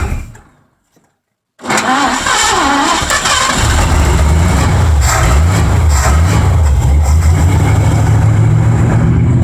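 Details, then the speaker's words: 1984 Mazda RX-7 with swapped Ford V8, just started after advancing timing: cranks, catches and settles into a lumpy, uneven low idle, held around 1000-1500 rpm with throttle; timing and fuel untuned. "Holy crap, it runs. Wow, getting somewhere. Day 3 here, it'll actually run and idle a bit now at 1500 to 1000 RPM or so if I keep my foot on the throttle."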